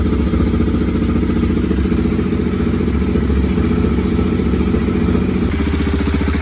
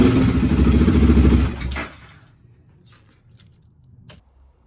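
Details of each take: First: BMW F650 GS single-cylinder at steady idle after tank cleaning, new fuel pump strainer, new inline fuel filter, G650GS Sertao injector and TPS reset, for high-speed bucking and stalling: even thumping, no stumbling; now runs without stalling. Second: BMW F650 GS with bucking and stalling at high speed, after tank cleaning, pump strainer, new inline fuel filter, injector, adaptation reset and idle actuator test: single thumps under two seconds then dies, faint clicks; stalls after start.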